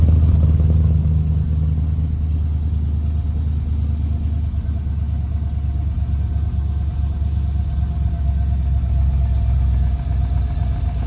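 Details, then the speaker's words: LS V8 in a '55 Chevy truck, first startup with harness wired using two wires: deep, steady rumble with even beat, no knocks or ticks, idle settling down; normal idle. "Idle's already coming down. I'm loving it. Hell yeah."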